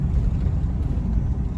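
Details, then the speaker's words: 2006 Ram 1500 Mega Cab V8 driving after repair: deep, even drone with no stumbling, surging or shaking, where it previously missed and stalled; check engine lights cleared. "so far so good i can't go too far yet because i honestly don't have my gas tank all the way uh bolted in just got all just the nuts basically started all the ways so i don't want to go too too far i want them by right now so that would that would really suck but so far man it is driving like it once did"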